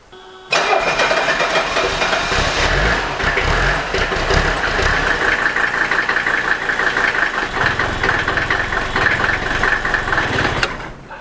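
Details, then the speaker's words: Customer's early Mercedes 300D diesel (OM615/616/617 family) with hard starting, heavy smoke and failure to shut off: about ten seconds of steady cranking with no firing; hard starting from burned-out glow plugs. "It appears that this old diesel has multiple problems. Not only does it not want to start, you notice it smokes very badly and then it doesn't want to even shut off."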